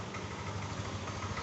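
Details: Yamaha Aerox 155 VVA scooter that would not idle and stalled unless throttled, after repair of the ISC (idle speed control) fault; soft, low, even putter holding a steady slow idle without hunting or stalling; idle restored.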